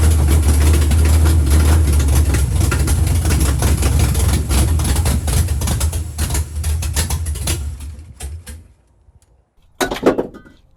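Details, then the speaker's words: 1976 Chevy Nova drag car, sitting for years, rusted; strong even idle with steady firing, no knocks or stumbles, warmed to 190 without fan, carburetor needs cleaning; normal running after sitting. "it actually started up and it runs really good made it around in the yard didn't have any breaks so I couldn't do a burnout"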